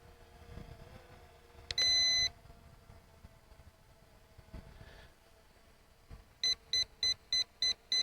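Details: ZLL SG906 Max (Beast 3) drone during flight, repeatedly stopping mid-air for unclear reasons: a long high beep, then fast short beeps about three per second over quiet room noise; obstacle avoidance warning beeps.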